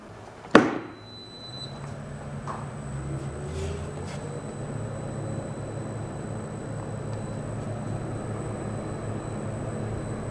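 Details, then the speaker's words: Antique 48-inch ILG Electric Ventilating Co. self-cooled motor fan, restored as a box fan, starting up after electrical completion; headliner material added to muffle the small cooling fan. Sharp click, then low hum builds as the fan spins up and settles steady, no rattle: normal startup. "Maybe I hear that cooling fan, but maybe not. Yeah, I like it."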